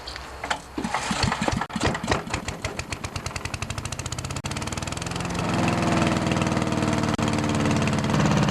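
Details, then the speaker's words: 10HP Briggs & Stratton engine on a wood chipper/shredder, first start after replacing a warped, leaking fuel pump: cranks a few seconds, catches and settles into a steady, even beat with no misfires. Normal start and idle. "Anyways, it runs good. It's running"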